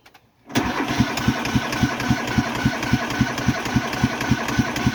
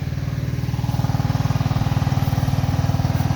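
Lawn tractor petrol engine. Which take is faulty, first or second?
first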